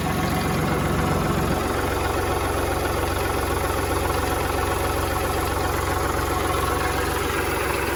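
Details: Kubota tractor diesel that would not crank despite power and intact fuses, fixed with a jumper wire at the switch: starts, then settles into a steady even chug with no misses or knocks; normal idle.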